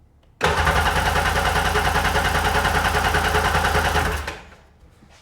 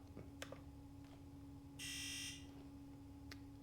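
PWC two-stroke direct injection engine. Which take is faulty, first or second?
first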